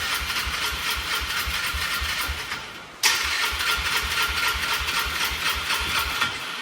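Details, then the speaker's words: Polaris Trail Boss 325 four-stroke ATV parked 12 years, new battery, cranking in rain: steady cranking about four beats a second, one brief catch, then no start; idle mixture screw closed. "It tried for a second there. It's not happy about something."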